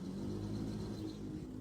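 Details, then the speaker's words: Single-tub automatic washing machine converted to manual control, wash timer test after rewiring: smooth steady motor hum with soft low rumble, no grinding or straining, turning left then right; wash agitation normal. "Sekarang mesti kanan. Ya. Untuk pencuci berarti betul ya. Sip, nggak ada masalah."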